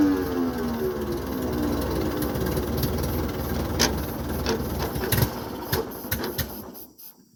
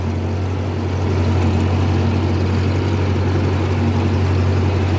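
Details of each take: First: 1950s Ford 8N tractor, converted to 12 volt, supposedly new carburetor cleaned twice: runs briefly with sagging, uneven revs, then dies; stalling from fuel starvation due to faulty carburetor, later fixed by fitting a new carb. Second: 1950 Ford 8N tractor, four-cylinder converted to 12 volt with a new starter, running after a whole new carburetor cured start-and-die fuel starving: deep, steady drone with even beat, no misses or stumbles; runs cleanly and well.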